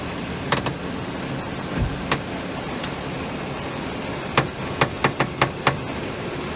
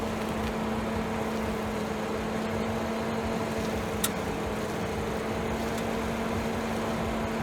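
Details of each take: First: 2011 BMW 535i idling while steering is turned, stethoscope on the sway bar picking up irregular sharp cracks and clicks in short bursts; crackling suspected from sway bar bushings, unconfirmed. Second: 2011 BMW 535i, after cleaning the sway bar bushings and lubricating the bearings with Blaster silicone: steady low hum, no crackle or creak while steering. The former loud crackling is almost entirely gone; loose bolts are possibly a factor.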